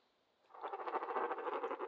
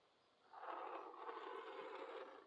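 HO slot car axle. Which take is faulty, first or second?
first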